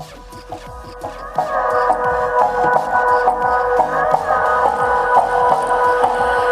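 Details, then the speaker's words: Tribit XSound Go Bluetooth speaker at full battery playing music: thin, muddy, crackly sound with no bass; owner suspects the driver's rubber surround (ring) is gone; crackling and distortion from missing driver surround. "So the sound itself is not clear. There is crackling sound. I think the ring of this speaker is gone."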